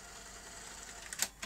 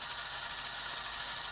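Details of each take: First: Sony Betamax SL-T30ME after re-timing the loading racks and lacing guide: quiet whirr, light clicks and a soft slide as the tape loads and laces; normal tape load and lace-up. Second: Sony Betamax SL-T30ME front-loading video recorder trying to eject/load: high thin motor whir labouring then cutting out abruptly; loading clutch slipping with lack of torque throughout the cycle.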